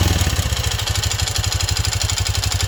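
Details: Honda CT125 Trail 125 with Takegawa 143cc piston and cylinder kit, noise started after 200 miles and break-in. Single-cylinder idle with sharp metallic clatter on every beat, louder than tappet tick. Owner suspects piston slap; engine knock at idle, unconfirmed.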